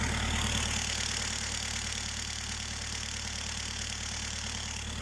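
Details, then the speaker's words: Cold start on a sub-zero morning, petrol engine idling with a steady, fast metallic knock at about four beats a second; owner suspects timing chain rattle, unconfirmed. "короче утра на холодную минусовая температура завожу машину и застучало у меня цепь я думаю ну как это слышать звук"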